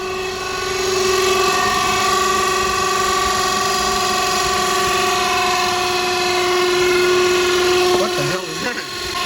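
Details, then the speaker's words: 2009 Infiniti FX35 3.5L V6 being diagnosed for P0024: a sudden, steady, loud whirring drone at idle that doesn't follow the engine; thought to come from the belt or the cooling fan, source not confirmed. "it sounds like it might be coming from either the belt or the fan"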